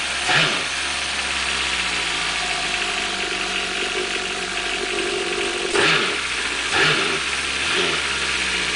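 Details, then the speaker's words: Four-stroke jet ski starts easily and settles into a smooth, fairly quiet steady idle; a few brief throttle blips return cleanly. It is quieter than the two-stroke ski. "Starts up as easy as that. And this one's quieter too."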